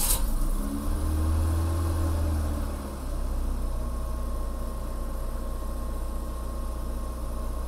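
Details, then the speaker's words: 1984 BMW E30 318i, M10 engine, with reinstalled idle control valve and replacement valve and module: started idling at 1200 rpm, then rose to about 1800 rpm when warm; steady fast hum that never drops; high idle when warm. "originally on Startup it fired up and idled at 12200 and then as it warmed up it slowly increased to about 1,800 at idle"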